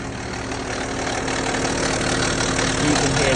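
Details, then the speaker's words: BMW N57 six-cylinder diesel, 98,000 miles, cold start idle; fast metallic rattle over clatter from top/back of cylinder head, indicating slack, worn rear-mounted timing chain; timing chain rattle. "this rattling noise from the top of your cylinder head or the back of the engine. Then it's a big alarm bell that you've got a lot of play in the timing chain which located at the rear of the engine."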